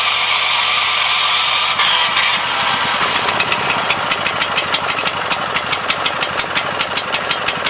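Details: 7 HP Kohler air-cooled single on a hydraulic power unit, unrun for at least two years, after carburetor cleaning: fires and settles into a loose, popping idle of about three beats per second, slightly uneven; runs.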